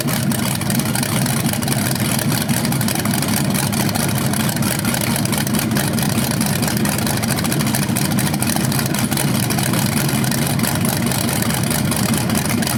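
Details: BluePrint 396 big-block crate engine for a 1970 Camaro SS, first outdoor run on the stand after oil priming and a timing check: loud, steady, even idle with no knocking, ticking or misses; sounds healthy, no leaks seen.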